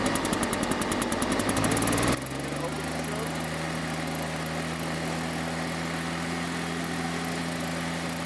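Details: Husqvarna 150BT backpack leaf blower on a cold start, primed, choke closed, throttle about a third up: a few cord pulls, then the engine catches and settles into a steady, even buzz; normal start on choke.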